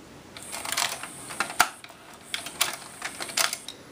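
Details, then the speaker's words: Pioneer six-disc CD changer: irregular light clicks and rattles in three short clusters while the mechanism hunts but never settles into spinning; fails to read the disc, owner unsure whether it's not spinning or not achieving focus lock (focusing lens later found missing). "I'll press play you'll hear it again it'll make oh I almost touched something let make a little bit of noise so I don't know if it's just not spinning or"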